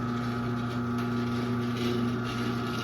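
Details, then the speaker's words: 2001 Chamberlain 7320 1/2 HP chain-drive garage door opener, no door attached, with a rail, chain, cable and pulley taken from a Craftsman: steady motor hum with a constant buzzy drone as the trolley vibrates along the rail. "Trolley is vibrating."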